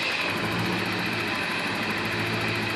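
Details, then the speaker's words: 1987 Porsche 928 S4 V8, light rev: even, smooth engine rush under heavy hiss, no misses or knocks, revving up nicely and settling back to idle well; healthy. "revs up just nice and uh lays back down on idle real well. Um which it should do. Um so it just hums along just perfect right here."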